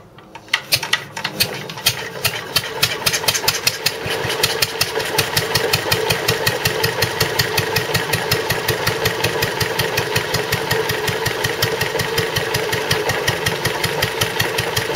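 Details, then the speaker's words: Wolseley WD2 single-cylinder engine after a de-coke, smoke now gone; quick beat around 160 a minute with the odd dropped stroke, an occasional misfire that is new, cause unknown; owner suspects rings. "But you see what I mean about it not running quite right, it's misfiring every now and then, which it never used to do."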